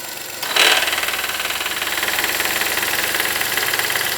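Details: 2017 VW Voyage 1.0 three-cylinder, 37,000 km: idle steps up and a rapid, even rattling chatter appears when the air conditioning is switched on; source not identified.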